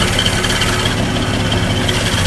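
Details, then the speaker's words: 1961 Ford F250 pickup, worn 223 six-cylinder: steady loud idle with a faint wavering high chirp on top; belt may be a little loose; timing sounds close, carburetor sounds good. "SS like a belt might be a little loose look that as long as the fan blade don't come flying off"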